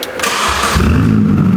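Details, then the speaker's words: Mini before its MOT, exhaust removed and running on the downpipe only, out of gear, before the new exhaust is fitted: brief crank, then a loud, raw, crackly bark as it settles. Sounded good at idle. "Stuart, the exhaust is off. Yes. And there's one thing you always have to do. It's the law. It's the law. You have to start it. Downpipe only."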